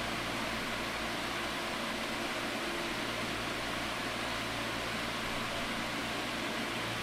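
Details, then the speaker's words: 2002 Midea 16" oscillating pedestal fan with mesh grilles, before cleaning and restoration, at full speed: an even, steady rushing hiss of air through the mesh grille, with no rubbing, ticking or wobble. Normal high-speed running. "oh yeah that's got some power to it now it does have that mesh Grille fan sound which is actually pretty nostalgic"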